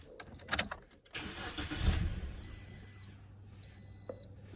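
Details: 2010 Toyota Corolla starting after alternator replacement and battery terminals reconnected: short crank catches fast into a low, steady idle under the door chimes; engine fires and settles normally.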